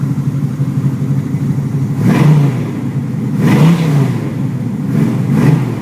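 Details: 1981 Chevy Camaro, 383 stroker V8 (425 hp), under 15,000 miles, idling fast and steady with three clean rev blips; idle set high after a new electric choke install; no misses or knocks, healthy.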